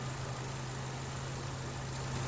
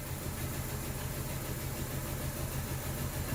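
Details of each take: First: 2012 Chevrolet Cruze idling smoothly and evenly after a new ignition coil was installed, with no misfire stumble; it was diagnosed for rough idle, flashing check engine light and traction control light; normal idle. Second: 2012 Chevy Cruze petrol engine idling roughly with flashing check engine light and traction control light: low, uneven chuffing beat as cylinder number two is completely dead, a misfire found by testing coil wires.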